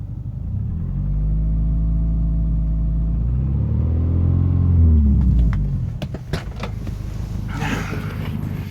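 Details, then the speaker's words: 2000 Subaru Forester S Limited, stock, cold start warming up after throttle adjustment: steady idle around 800 rpm, revs raised and climbing smoothly then dropping cleanly with no stumble or knock; engine sounds healthy. "sitting at around eight hundred steady yeah revs very smooth just bring the rooms up a little bit here"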